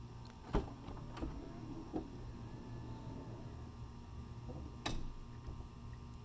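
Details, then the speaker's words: 2011 Toyota Sienna, right-side power sliding door for comparison: low even motor hum, soft clicks and a closing thud with no grinding. Normal operation, unlike the left door, which grinds only under power; owner suspects the motor or cable system. "there is no weird sound."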